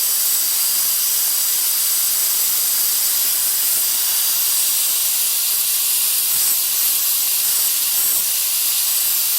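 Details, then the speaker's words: Ford 7.3 Power Stroke diesel, no-start, engine off, high-pressure oil system air-tested through a homemade tool at the injector pressure regulator: loud steady hiss as pressure bleeds off, reaching only 245 psi; leak on right side, blown injector O-ring. "That's my pressure leak. It won't start. It's got 245 psi, and that's all she'll go."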